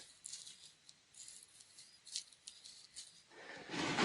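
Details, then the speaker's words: Harley-Davidson Shovelhead with cam chest opened; bearing turned by hand gives dry gritty rasping in uneven bursts, with some sludge found at the bottom; owner hopes only the inner bearing needs replacing. Gritty bearing noise, cause suspected. "And I'm hoping that was the noise, cuz that's that does not sound good, but it doesn't doesn't give me warm and fuzzies hearing that grit in there. Feels like grit."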